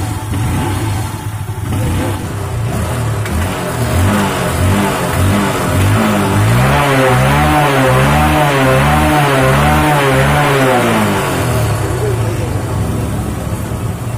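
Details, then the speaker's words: Honda Unicorn single-cylinder engine after the faulty cam chain adjuster is fully tightened: smooth light revs with no chain slap or tapping; noise expected to return after about a kilometre until the adjuster is replaced. "இப்போ noise இல்லாத சவுண்டை நீங்கள் பார்த்துருப்பீங்க."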